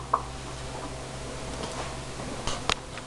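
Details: Recently purchased GE refrigerator: sharp, irregular ticks and knocks over a quiet hum from the upper-back left side of the freezer, lasting up to 2 minutes, 2-4 times daily. Technician called it normal; owner disputes this. Cause not identified.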